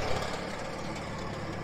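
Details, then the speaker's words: International 424 tractor after rescue and first start, on trailer with brush hog attached: low, even engine putter with steady beat, no knocks or misses; runs well, normal idle. "all right it's a good running little machine but anyway it's good so i'm happy"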